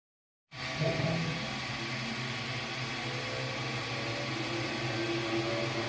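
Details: xTool S1 20W diode laser with rotary kit engraving a curved tumbler: steady even hiss with faint fan tone and light motion whirs, no rattles or skips; normal engraving operation.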